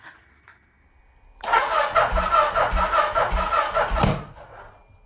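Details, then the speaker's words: Turbocharged Yamaha YZ450F dirt bike, new engine, Fueltech aftermarket ECU, E85: quiet cranking, then a loud ragged popping roar out the exhaust for about three seconds before dying; backfire on cranking because ignition timing is 180 degrees out of sync. "as you saw in the video last night when I attempted to start it, it was basically a big backfire out the exhaust."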